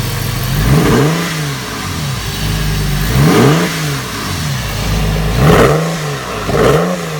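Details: Porsche 996 with a modified exhaust, revved in four short blips; a rough, uneven exhaust note from a misfire in cylinder 2.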